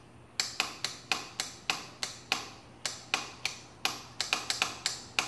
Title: Clicking noise from solenoid! 2015 Yamaha Raptor 700SE won't start!